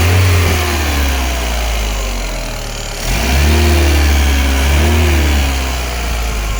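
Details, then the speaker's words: 1994 VW Golf 3 Variant 1.8 Bosch mono-injection after replacing melted injection gasket: steady smooth idle, then clean rise and fall of revs with no hiss or whistle; normal idle and rev, no vacuum leaks. "Okay, it's on. Seems to be idling nicely."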